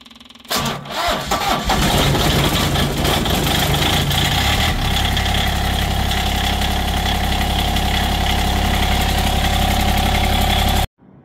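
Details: Diesel tractor cold start at about 5°F (owner says "50, probably 5 degrees") after sitting over a week with no battery tender; glow plugs used, neutral, mid throttle. Slow, labored four-second crank with higher starter current draw, then catches and settles into steady, even idle before shutoff.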